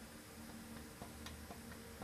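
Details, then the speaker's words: Engine camshaft end checked with a dial indicator, spec about 0.002–0.007 in end play but measuring about 0.040 in: faint light clunks roughly every half second as the cam shifts back and forth; excessive end play, thrust likely gone, cam considered toast. "about 40,000 in play if you can see you can even hear it so what this is showing me is this is pretty much toast and there's something wrong and we need to fix it"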